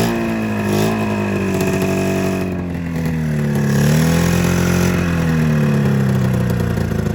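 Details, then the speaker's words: 27-year-old Mountain Cat snowmobile two-stroke, coil replaced: surges and sags unevenly on throttle blips, seemingly firing on one cylinder; owner suspects fuel delivery, not drawing fuel or carburettor floats sticking. "it's gonna fuel delivery issue [Music] yeah so something's definitely fear related there's not sucking it in or something's going on with the floats because not letting it down"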